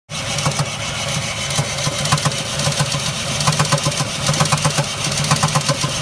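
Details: Jeep Liberty idling with a steady knock a bit over once a second riding above the idle; sounds like bottom-end rod knock, cause unconfirmed.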